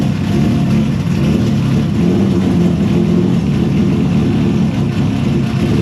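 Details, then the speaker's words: Engine with new homemade 3D-printed intake manifold after earlier intake explosion, now started after PFI Speed remotely corrected ECU settings: loud full engine note held steady in small room, clean firing, no misses or knocks; normal running. "All right, guys. So, as you saw, she started up."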